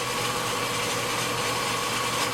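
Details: 30-inch Covington lapidary slab saw after replacing a melted drive pulley with a new one, belt slightly worn. It runs with a smooth, constant mid-pitched hum and no squeal, slap or rubbing: normal running after the fix.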